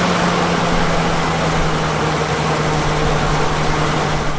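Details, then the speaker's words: Large truck engine started three times in near-freezing cold using a portable jump starter pack (battery still 100%); engine catches cleanly and settles into a steady, even low hum with no stumble. "guys well you saw it work firsthand no problem started that truck cranked it right up and not only once but three times"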